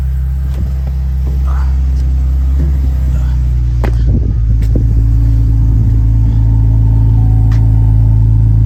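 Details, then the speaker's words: Cheapest salvage-auction Chevrolet Camaro, automatic, first start on a jump box: deep, loud, even rumble with a slight rev rise through an apparent aftermarket exhaust, possibly bent; idles smoothly, sounds good. "sounds like it's got an aftermarket exhaust I might have a little bit of a bend on it"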